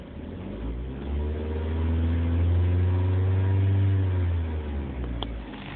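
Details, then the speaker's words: 2005 Dodge Neon in park, free revving: revs climb smoothly, hold and drop cleanly with no rattle, grind or whine; the horrible thrumming/surging noise heard at idle in drive and while turning does not occur; normal rev. "mean it sounds like a normal rev don't look at my horrible great he doesn't make the noise in that happens"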